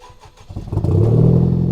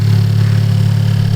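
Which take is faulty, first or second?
first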